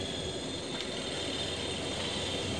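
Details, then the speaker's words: Whirlpool semi-automatic washing machine with a dryer that wasn't spinning, after repair, switched on via the timer. The spin motor runs with a steady, even high whine over a low hum, with no knocking or scraping: working properly. "देखिए हमारा spin motor कितने अच्छे तरीके से यहां पर work कर रहा है"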